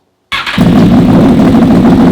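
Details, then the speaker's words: 2004 Honda VFR800 V4 converted toward CBR1000, custom LexTek exhaust: brief crank then steady, even, deep exhaust burble with no misses, healthy idle. "I'll see you guys in episode 24, and I'm going to leave you now with this beautiful sound of this sweet exhaust."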